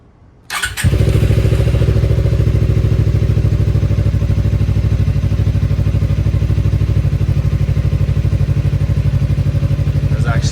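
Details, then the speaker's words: 2018 Suzuki GSXR bought not running, once rat-infested, 3,67 miles shown, near-empty tank: fires on first try after clutch-held crank and settles into a smooth even idle with steady exhaust beat, no knocks; runs healthy. "It's crazy. This thing actually runs really, really good and sounds super healthy."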